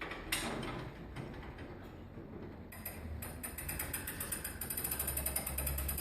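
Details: Longcase grandfather clock by John Owen, 1765, being set up: the drive-side weight is wound up on its pulley with the cord feeding evenly onto the drum. A steady run of light ratchet clicks, about four a second, with nothing catching; a normal, healthy winding click.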